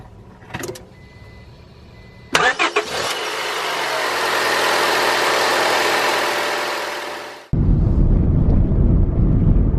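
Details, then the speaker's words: Onan Microquiet 4000 RV generator after oil and air filter change, starting up with battery reconnected: brief crank, then fires and settles into a steady low idle with no squeal or chirp; normal start and idle. "so far the belts seem to be working just fine"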